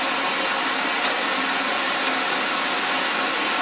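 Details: 2015 Toyota Corolla LE with aftermarket LED headlamps on, radio on car roof: constant loud hiss and thin high whine swamping the station; RF interference from the LED headlights wipes out reception.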